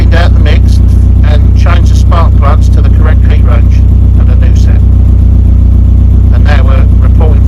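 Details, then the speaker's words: Mini Club with A+ 998 engine and HS4 carb, after switching to hotter grade-5 spark plugs and baselining the mixture: deep, even steady beat, no misses, all four cylinders firing cleanly; normal idle. "I've just replaced the spark plugs put the fives in Baseline the mixture and listen to that idles perfectly now"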